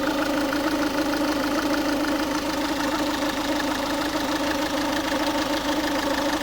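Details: Ford Focus 1.6 TDCi diesel idling warm: steady clatter with a loose, uneven tick about once a second; noise occurs only when the engine is warm, and the source is not pinned down.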